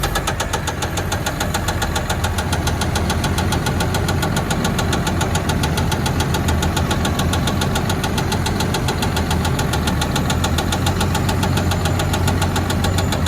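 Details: Cat skidder diesel running with a hard, regular knock about three to four times a second over the idle; abnormal internal engine knock, machine broken down.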